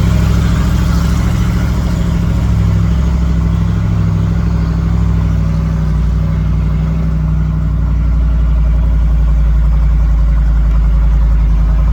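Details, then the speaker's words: 1993 Ford F-150 with swapped 351 Windsor, test drive up and down the street after transmission pulled again: loud low engine drone, revs flare under throttle without the truck gaining speed; clutch still slipping badly, only accelerates at minimal throttle. "It's still slipping a [ __ ] ton. I don't know what the [ __ ] wrong. It's better, but I'm going to fry this clutch if I continue"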